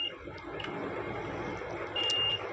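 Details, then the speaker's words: Electric stove repair, multimeter on the plug input wires: clear high-pitched steady beep in short bursts over faint room noise, meter showing continuity, so the plug wire is intact. "এই যে আমার মিটারটা একটি শব্দ করে দেখছেন resistance দেখাচ্ছে"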